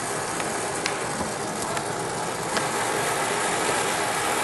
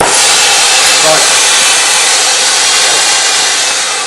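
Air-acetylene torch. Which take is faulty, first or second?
second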